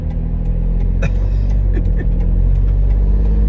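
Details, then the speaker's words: 2012 Toyota 4Runner with a deep, uneven exhaust rumble and loose puffing that had been getting louder; owner suspects the gasket where two exhaust pipes connect is leaking and plans to replace it. "That's pretty loud. So I had been noticing the exhaust get slightly louder, and I figured this was coming. I believe it's the there's like a gasket between two of the exhaust pipes where they connect, and I've heard that's pretty common."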